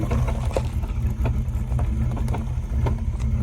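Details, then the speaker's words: 1979 Pontiac Trans Am 10th Anniversary turning in a driveway: irregular clicking and popping bad enough to make the tires jump. Limited-slip chatter in the 10-bolt 8.5-inch rear end, fixed with a limited-slip additive. "Just clicking and popping to the point where the tires are jumping."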